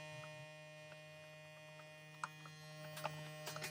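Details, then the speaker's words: Small USB vacuum pump from a filament vacuum storage kit, evacuating a sealed bag: steady low even hum with a few handling clicks, runs smoothly, loudness described as decent. "You also hear the noise, how loud it is. It's decent."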